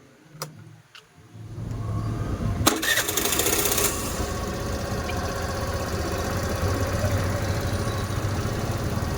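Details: Suzuki Access BS6 scooter after fitting a manual idle adjuster: a couple of clicks, then it catches and settles into an even, steady idle with no hunting or dying.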